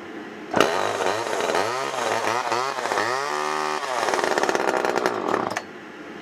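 Small two-stroke catches and revs up and down with a crisp buzzing pitch that follows the throttle, then settles; saw runs properly.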